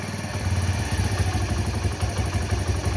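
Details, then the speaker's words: Old-model Bajaj Discover, warmed-up engine, during carburetor mileage setting with air screw fully tightened and idle rpm raised; lumpy, stumbling single-cylinder idle about to stall because fuel is too rich and air too low. "तो देख लीजिए ये जो screw है वो full tight है। तो bike है जो बंद भी हो रही है, क्योंकि इसका जो पेट्रोल है वो ज़्यादा बढ़ चुका है और एयर है जो कम हो चुका है।"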